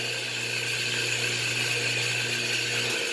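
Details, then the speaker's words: Whirlpool washer on spin cycle, clothes left wet: steady low motor hum and pump whir with no drum rumble, dropping off near three seconds; drum not spinning or agitating. "I got a Whirlpool washer that's not spinning the clothes are wet every time it goes on spin cycle so that means it's not spinning or agitating"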